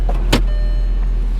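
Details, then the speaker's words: Volkswagen at a salvage auction yard, idling: steady low electric hum as the secondary air injection pump kicks in, which sounds normal. "the secondary air injection pump kick in"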